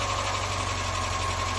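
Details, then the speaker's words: Mazda MX-5 Mk1 first started after ten years sitting, just started on choke: fast, light ticking over a steady idle; cause unknown, owner wonders if it's from running only briefly; head gasket work planned. "it's ticking. I don't know if that's because it hasn't been on for too long."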